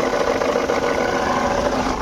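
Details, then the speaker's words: Jeep Compass diesel idling before repair, belt still on: loud steady rattling drone over the idle, present from start-up; alternator pulley bearing suspected, a common Compass problem, belt to be removed to confirm which bearing. "अभी इसका सबसे पहले belt उतारेंगे और belt उतार के check करेंगे कौन सा बेरिंग गया है क्योंकि जीप कंपास में अल्टरनेटर का पुल्ली का ज्यादा प्रॉब्लम आता है"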